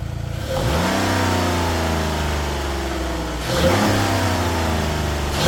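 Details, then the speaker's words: Chrysler 300 daily with stock exhaust, after fitting a cone air intake and PCV hose: catches cleanly, settles, then two smooth revs rising and falling evenly, no knocks or rattles; healthy start and rev. "Now this car is super quiet. Don't got no aftermarket exhaust or nothing like that. It's the daily, but we just doing a little bit to, you know, kick it up a"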